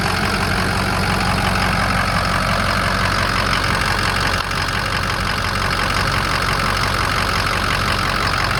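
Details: 2007 Ford F250 4WD, 6.0 diesel, 147,000 miles, idling: steady, even diesel clatter, no miss, surge or knock; no blow-by, no coolant system pressure from EGR or oil cooler; healthy, smooth normal idle.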